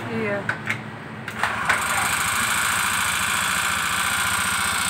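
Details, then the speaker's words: Honda Beat Street fuel-injected scooter, brought in pushed and totally dead with a normal battery and a seized piston: after hard kick-starting it catches and idles unevenly with tapping; with oil introduced it slows and now ticks. "kemudian mulai memelan-memelan karena apa Karena sudah kemasukan oli suaranya kemlitik sekarang"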